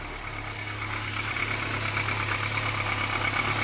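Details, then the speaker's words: 1979 Austin Allegro after electrical and ignition work, gap measured: low, even hum with a smooth, steady beat, no misses or knocks; clean normal idle. "have i actually fixed something [Music] oh she's running"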